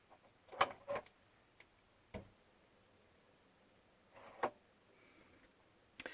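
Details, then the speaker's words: RV refrigerator switched to gas after a 12-volt fuse panel upgrade: sharp, irregular igniter clicks in a quiet cabin as the burner lights; normal sparking, and the fridge works. "Let's switch this to gas. Oh, you can hear that, right?"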